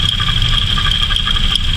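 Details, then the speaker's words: Engine at idle, belt already ruled out with water test: steady high-pitched whine that doesn't change, confirmed with a hose stethoscope as a worn alternator bearing. "namay yan alternator yan alternator bearing to o may sinasabitan doun sa may diode Ayan narinig mo sir"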